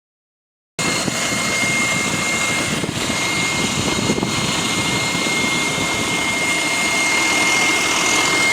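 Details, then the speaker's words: GAL bus WVL416 on route 486: steady high-pitched whine held constant over the engine hum, source unclear; whining noise. "I don't know why the [ __ ] it's making that noise wvl 416 now what the [ __ ] is that noise though"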